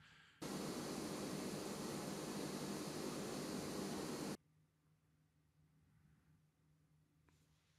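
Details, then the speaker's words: GPD Win Max handheld PC at 100% CPU load: loud, steady airy whoosh of the cooling fan ramping up and holding, then cutting off; normal fan noise, while within about two minutes heat makes keyboard keys auto-press. "i'll try to put the fan noise in here so you can hear it ramping up but um really takes less than a couple of minutes of full 100 cpu usage"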